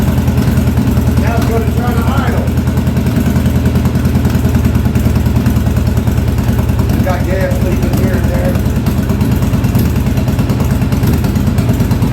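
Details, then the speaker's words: 1983 Yamaha Virago 920 barn-find V-twin, first idle after the back cylinder's dead spark plug was replaced. A low, uneven idle that stumbles now and then; the front cylinder is cutting in and out, and the owner suspects fuel. "there I wouldn't say she's real happy about waking up"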